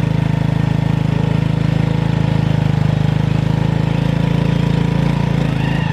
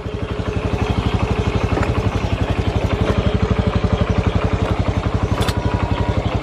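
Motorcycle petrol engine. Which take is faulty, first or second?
first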